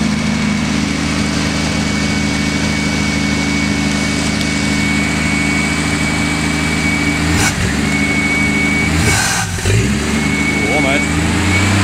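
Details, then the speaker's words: Holden 161 straight-six cold start, engine like new inside, running slightly rich: smooth, even hum with light throttle blips, no knocking or rattles; healthy normal running. "This engine sounds good. It does, doesn't it?"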